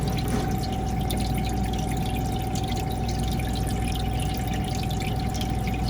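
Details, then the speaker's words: Manitowoc ice machine refilling with water after cleaning the water level probe with ice maker cleaner; it had run low on water and ice stuck on the grid without harvesting. Steady tone over pump hum, even water trickle; refilling normally. "Fill back up right there. So now I know we're gonna have enough water for the H.V.A.C cycles."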